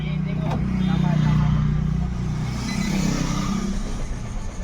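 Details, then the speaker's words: Nissan Micra, automatic, petrol: the starter cranks steadily with a whir but the engine won't start. When it does start it won't rev, and the fuel gauge light blinks. The fuel pump is faulty and its assembly is replaced. "यहां पर मैंने ignition on किया है और अभी self मारता हूं यहां पे इंजन स्टार्ट नहीं हो रहा है"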